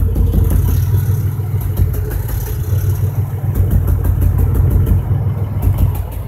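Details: 2005 Chevrolet Impala 3800 V6 at idle, P0305 code: uneven stumbling beat with firing pulses dropping out; cylinder 5 misfire persists after new #5 spark plug, wire and injector, cause unknown.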